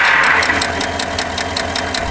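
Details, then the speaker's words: 2016 Chevrolet with L86 V8 (GM K2), 120,000 km, at idle: sharp, even metallic tapping about six per second, like hammering a nail, over a steady V8 idle. Valvetrain lifter tick from a cylinder-deactivation lifter fault, common since 2015. "Если прислушаться, мы слышим звук, чем-то подобный ээ забиванию гвоздя молотком. Проблема ещё известна с самого первого поколения, самых первых выпусков, с пятнадцатого года."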